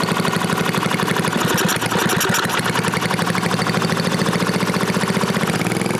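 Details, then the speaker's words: New-old-stock Briggs & Stratton 5HP dual-shaft aluminum-bore engine, rebuilt with mostly NOS/new parts, after fixing a no-start caused by the throttle plate closing fully and idle speed set too low; steady even putter, regular firing, no misses or knocks, running smoothly. "simply running really good and if the problem reason it wasn't started the throttle plate was closing all the way the idle speed was descent way too low so that's what the problem was"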